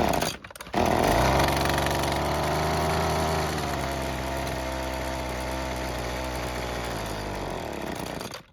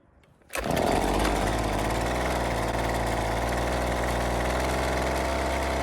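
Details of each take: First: Worn, previously worked-on Husqvarna two-stroke trimmer after a new air filter box and filter: it catches, revs, then sags and runs raggedly before dying; lean low-speed mixture, L screw adjustment needed. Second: Husqvarna two-stroke trimmer, not a cold start, after turning the L (low-speed) screw a quarter turn counterclockwise for more fuel. It fires up and holds a steady, even buzzing idle without dying or surging. The idle screw still needs adjusting. Normal running.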